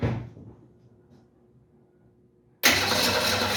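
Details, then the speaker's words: 1968 Mustang fed gas from a bottle through a hose, pumping the gas while cranking: after a quiet pause the engine catches suddenly and settles into an even, steady run. Starts cleanly and doesn't sound bad. "It's running! It doesn't sound bad either."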